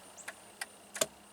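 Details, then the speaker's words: 2000 Jeep Grand Cherokee with intermittently dead left turn signal, before multifunction switch replacement: crisp flasher ticks about three times a second, working normally at this moment. "I think it's working again but I'm still going to change it if nothing else for the sake of the video yes it's working now"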